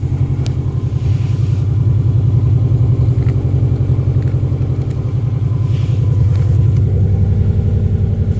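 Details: Subaru GC8/GF8 with swapped-in WRX engine, first run, idling in neutral: loud, deep, steady burble with no misses or knocks. Check-engine light possibly from the unplugged rear O2 sensor, possibly a loose MAF connector, but the engine idles fine.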